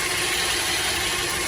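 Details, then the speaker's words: 2010 Chevy Traverse, cold start the morning after cleaning the power steering reservoir: a steady, mild high whine over a smooth idle, quieting quickly. The pump whine had worsened over weeks while steering still works fine; a whining pump is suspected, not confirmed. "Feel you can hear some of the whining. Give it a little gas."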